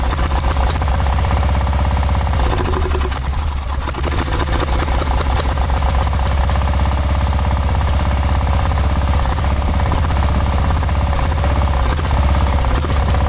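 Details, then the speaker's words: 1986/1987 Cub Cadet 1106 riding tractor, sat over 4 years, first start: low chugging with uneven stumbling beat and brief dip, sputtering; owner smells very old rank fuel, suspects stale fuel; throttle also stopped working. "Well, it was running good for a second there. Then I started smelling really old rank fuel, and it's starting to sputter and act funny."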